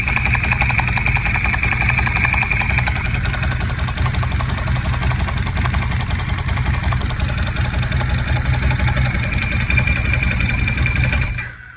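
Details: 1098 engine with a lumpy idle and uneven, rattly pulses about three a second over a heavy low thrum until shutoff; abnormal noise, cause undetermined.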